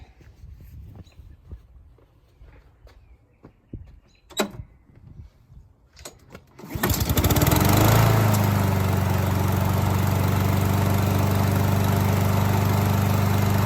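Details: Honda push mower, 160 engine, no-start caused by a dented valve cover; after the dents were banged out and fresh fuel added, it catches and settles into an even, steady run with no misses or knocks.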